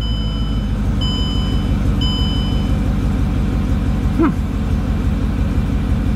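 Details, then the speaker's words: Mercedes CLK55 AMG after full service and fuel system bleeding for a hard-start issue, test start not fully cold: steady even rumble with chime tones, no misses; healthy idle, further testing needed. "seem pretty happy starting up so more testing is the only way to know"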